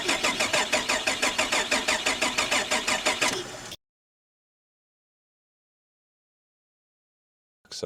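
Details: VR Holden Commodore manual after trying nearly everything, battery checked: starter spins engine evenly at about three beats a second for under four seconds but it never fires or catches; crank no start.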